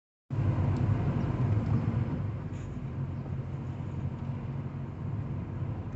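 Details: Ford Fiesta with a loud low rumble carrying a loose, uneven rattle at about three to four beats a second; something is loose, cause suspected but not confirmed.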